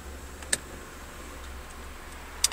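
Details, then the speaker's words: Daihatsu YRV at idle with aircon switched on: two crisp clicks about two seconds apart over a quiet, steady idle hum as the AC compressor clutch engages, with cold air blowing from the vents; normal. "You can hear the compressor click in and there's lovely cold air gushing forth from those vents."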